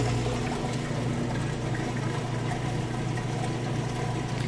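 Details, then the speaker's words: Whirlpool top-load washer moving from wash to rinse, in neutral with drain engaged: steady low pump hum with water gushing and trickling, even and unstrained; drain pump emptying the tub fast, normal operation. "It's going to kick into neutral, which engages the drain, kicks all the water out. Here, draining that water out nice and fast."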